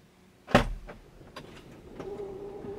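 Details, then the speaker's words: 2022 Tesla Model X falcon wing door during recalibration from the service menu: sharp click, then a low steady motor hum as the door opens and closes until calibration completes; normal door motor operation. "And now that door is opening. And now it's closing. And it says calibration complete."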